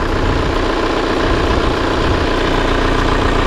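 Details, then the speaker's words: Kia Carnival diesel being checked before purchase: an even, steady, crisp diesel clatter at constant idle with no misses or surges, meaning combustion is even in every cylinder, a healthy idle. "Oke suara mesinnya harus seperti ini ya Nah seperti ini jadi suaranya itu Hai stabil renyah satunya kalau stabil itu tekanan Nose itu imbangnya David Sular yang keluar menghasilkan ledakan itu setiap silinder itu rata"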